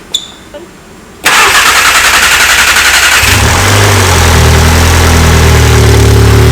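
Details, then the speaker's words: VW MK7 Golf R first start after camshaft install: cranks about two seconds, catches cleanly and settles to a steady idle without stumbling; not yet at operating temperature, so whether the fix worked is unknown. Normal start and idle. "Until it hits operating temperature, we really aren't going to know if it fixed it, but obviously it just idled down. It still sounds really good. It didn't even actually hiccup except for when it needed fuel."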